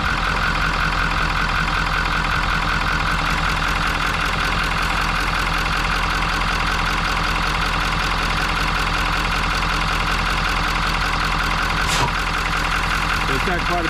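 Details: 2019 Ford F350 6.7 Powerstroke diesel, cold start, oil cap removed: clattering idle with steady rhythmic chuffing from the oil filler under heavy crankcase pressure; clogged CCV filter found as cause, oil use suspected from turbo seals.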